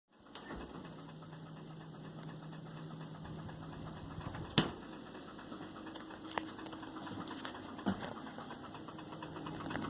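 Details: Hotpoint FSFL58G fridge freezer: compressor hums with a fast steady ticking laid over it while running, louder once the motor settles; cause unknown, owner asking.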